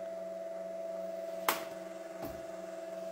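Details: Kärcher HDS 12/18-4 S hot-water pressure washer: steady hum with sharp solenoid valve clicks repeating every two to three seconds. Replacing the valve's switching transistor changed nothing, so a software fault is suspected; more water flow lengthens on-time.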